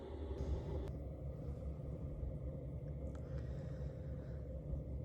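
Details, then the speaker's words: Chinese diesel heater in a Ford Transit Custom camper, idling with the thermostat at 8 degrees, drawing about 1 amp: low, steady rumble, no surging or ticking; smooth normal idle. "there you go, that's with the heater on, set at 8 degrees. You're looking at 1 amp an hour in idle mode. It's even less than that."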